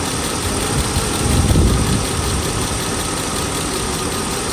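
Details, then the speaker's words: Mercedes S500 V8 first start after timing chain and guide replacement, at operating temperature, weak battery: rough, lumpy idle with a stumbling misfire; owner suspects swapped spark plug wires, and the car may be in limp mode. "okay Kenny start it right up really nice but I do have a misfire though I think that makes I think I switched over spark plug wire"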